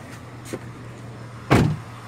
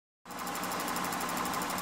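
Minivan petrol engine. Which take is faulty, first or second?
second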